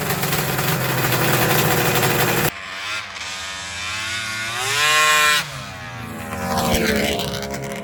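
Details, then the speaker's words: 1994 Arctic Cat Thundercat with 1050cc Hooper big-bore triple two-stroke, rebuilt for drag racing after a cylinder died (plug white); warm after one heat cycle. Ragged crackly idle then crisp, cleanly rising and falling revs with sharp throttle response; normal idle and revving. "I've had one heat cycle in it it's still warm yeah this thing sounds gnarly"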